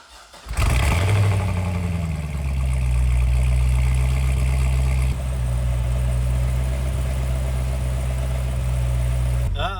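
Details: Chevrolet C6 Corvette ZR1 with supercharged 6.2 L LS9 V8, damaged car being repaired: it cranks and catches quickly, then settles into a strong, smooth, deep idle with no knocking or ticking; oil pressure good, a healthy start.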